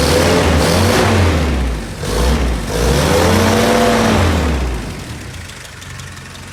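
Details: Willys Jeep petrol engine warming up after nearly 15 years unused, revved to check exhaust smoke: climbs cleanly through two quick blips and settles back without stumbling; revs freely, healthy.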